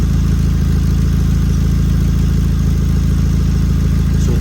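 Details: 2006 Nissan Sentra idling before repair: loud deep idle with rapid chuffing pulse from exhaust leak at the flex pipe/expansion joint under the muffler area.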